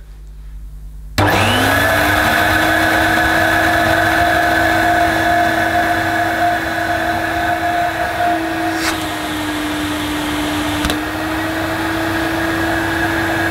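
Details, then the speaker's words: Vintage Electrolux 502 upright vacuum, about 40 years old, with a replaced internal hose: the motor spins up to a steady but muffled, quiet hum. Weak suction from a blocked hose entrance. "well folks i know now why it doesn't sound quite as it should and that's because it's blocked"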